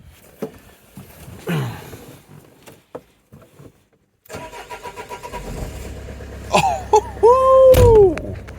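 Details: 2004 Renault Trafic 1.9 dCi diesel that had cranked without starting, after injector wiring was found rubbing through near a loose airbox: it cranks, catches and settles into an even diesel rumble with no misfire, starting fine.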